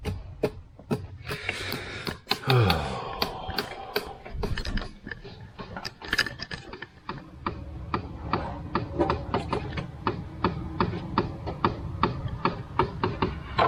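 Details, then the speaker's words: Jeep on a key-on test after the engine and transmission went in, heater selected and the blower not turning on; dry clicks settling to about twice a second behind the dash, like an actuator hunting; blend door suspected; clicking in dash HVAC. "Yeah, it sounds like maybe the the blend door or something is freaking out."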